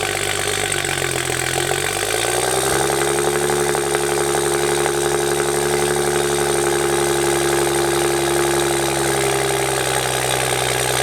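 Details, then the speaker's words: 2011 BMW 335i N55 with a VRSF single catback and 3.5-inch downpipe, cold start after oil filter housing and oil cooler gasket replacement: a loud start that settles into a steady fast idle around 1300 rpm. Healthy. "Dude, that is actually so loud. And I mean, other than it revving to like 1300 RPM, sounded fine. It's also not doing any weird like stuttering on startup or idle, so that's good."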